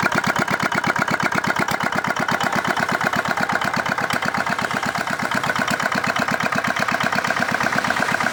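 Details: Old modified Chinese R180 single-cylinder diesel for wood splitting, repaired after repeated seizing despite earlier crankshaft replacement: steady even thumping about 167 a minute, no knocks or misses; runs smoothly.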